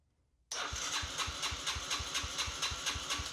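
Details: Abandoned 2006 Yamaha TTR90E under restoration, with compression present, cranked during a spark check: the starter spins evenly at about five pulses a second but the engine never fires; spark is confirmed good and the cause is unconfirmed.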